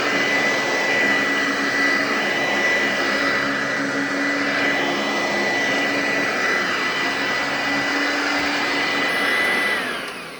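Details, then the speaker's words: Eureka upright vacuum on carpet, loud: steady, even high motor whine with no rattles or speed wobble, then winds down; runs well, though it smells bad; normal running. "So yeah, it runs pretty well. It does kind of smell bad, but a lot of my vacuums smell bad."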